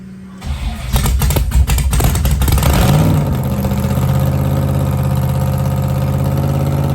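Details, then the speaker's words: Blown 1957 Chevy gasser V8; short crank, catches and flares up, then settles into a steady, even lumpy idle with no knocks or misses: normal start-up and idle. "Sounds good. Sounds [snorts] healthy. Sounds like I should have took it last night."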